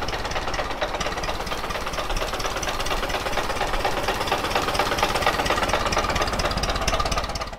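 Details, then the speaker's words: Ford Model T engine running on the magneto: sharp regular knock through the steady idle in step with the crank; worn connecting rod bearing, oil pan to be pulled. "yeah it's got a pretty good little rod knock so we're gonna have to pull the pan down"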